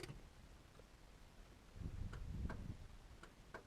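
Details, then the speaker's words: 1962 Morris Minor, newly wired spotlight flasher relay fed fused from the battery, bonnet closed, listening from outside: crisp light ticks roughly every half second over a quiet background; relay switching normally. "You can hear the relay. If you look on the bus, you can just see the lights there, not too well."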